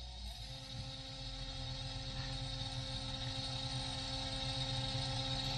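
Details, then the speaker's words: Small DC motor driven by Arduino PWM through an L298N H-bridge with a potentiometer, turned up to maximum power: smooth, even whir building to a steady high speed with no rattle or scraping; healthy, stays cool. "now it goes you can see it rotates and then I go for maximum power now"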